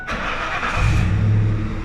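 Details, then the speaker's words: Ford F-150 5.4 Triton, shut down and restarted under the hood to listen for a phantom knock with a screaming serpentine belt: starter whirs, engine catches and settles into a steady low rumble; no knock or squeal heard on startup. "nada I hear nothing it's not here"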